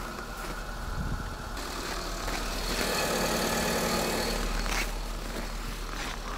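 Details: Renault Arkana petrol engine, frosty cold start: steady, even idle with no knocks or ticks over the low hum, faint outdoor background; sounds healthy, normal cold start idle.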